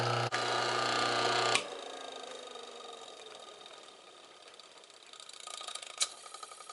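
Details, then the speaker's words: Old furnace/barrel blower fan motor from the dump, dented housing, run by itself off the blower: steady even hum for about a second, then power off and a smooth quiet coast-down with no scraping; a good motor. "That's a darn good motor anyway."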